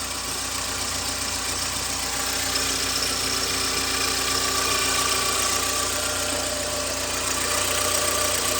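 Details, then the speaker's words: 2009 VW Gol G5 running Castrol GTX 20W50 mineral oil, not recommended for it: steady idle with a fast, fairly even tick around 220 a minute; owner suspects the oil causes the strange noise, unconfirmed. "aí eu vou dar partida que se vai ver o barulho que ele vai fazer se é normal o gol a regra é se vocês puderem me ajudar a idc o barulho normal dele ou não"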